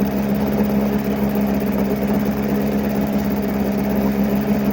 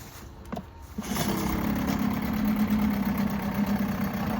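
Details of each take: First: Likely 1980s Mercury 7.5 hp long-shaft two-stroke outboard, first run in 20–30 years: rough, uneven idle with occasional stumbles, owner says it's missing. The water telltale is flowing, but it likely needs a new impeller. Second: Likely 1980s Mercury 7.5 hp long-shaft two-stroke outboard, unrun 20–30 years, tested for cold start: catches within a second and settles into a steady buzzing idle, running healthy. Owner suspects some gumming from storage and plans an impeller.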